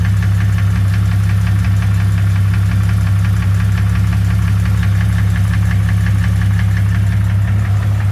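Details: 2001 Jeep Cherokee 4.0 six-cylinder idling: sharp, regular knock about three per second over the low hum; cause unknown, flexplate is new.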